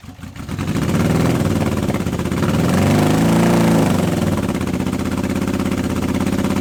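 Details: Honda CB750 K first start in years on unleaded petrol, after fuel blockage: lumpy, uneven beat that swells with a throttle blip then settles rough; running only on two cylinders on one side, cause unconfirmed (owner expected coil).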